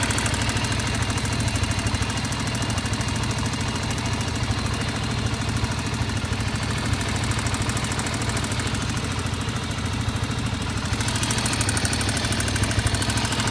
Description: Honda XR 250 появляется и пропадает стук, звук идёт из головки. Одна из причин: не отрегулированы клапана.